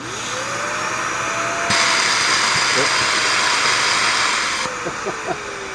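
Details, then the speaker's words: Dyson DC41 curbside vacuum with a clogged hose/airway: motor whines up, then a sudden loud hissing rush as the relief valve pops open due to the clog. "Okay, so you can hear the relief valve popping. Gee, what a surprise."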